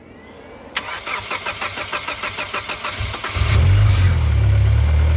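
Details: 2G Mitsubishi Eclipse after fixing a crank-no-start and replacing the piston rings for low compression on cylinder three: quick, even cranking about four beats a second, then it catches cleanly and settles into a smooth, steady idle.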